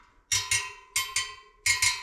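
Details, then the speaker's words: Jawa motorcycle wheel build, tapping spokes to check tension: paired sharp pings with short ringing note, this spoke's tone slightly low and dull versus its neighbour; under-tensioned, needs a little more. "So, that one's not as tight as the one next to it. [Music] That's loose. Yeah, that needs a bit"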